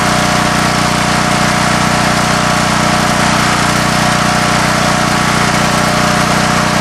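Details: Coleman Vertex 7850 W vertical generator, 15 hp Gentech Pro overhead-valve Briggs & Stratton, electric start, new battery, bought in 2000: steady, even single-cylinder drone at constant speed, no misses or knocks; normal running.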